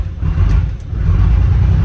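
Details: Chevrolet Silverado diesel after replacing injector lines: deep uneven lumpy, surging running as it clears; some cylinders not firing yet due to air in the injector lines, then cleans up.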